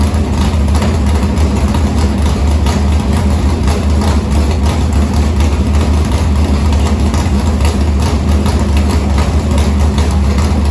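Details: Harris race car's Morgan Machine-built open V8 (speaker thinks ~358 ci) with EQ heads, likely Edelbrock Victor Jr two-barrel intake and 85 carburetor, started after fuel line was reconnected; deep, steady, lumpy idle warming up, no knocks, ticks or misfires, normal idle.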